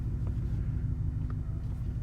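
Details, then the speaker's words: Ford Mustang GT 5.0 Coyote V8 with new custom exhaust, exhaust mode set to track: deep, even rumble with steady beat and no misses; healthy idle, loud setting. "Sounds kind of subdued, but when I go into my mode on the Mustang exhaust mode selection and go to track"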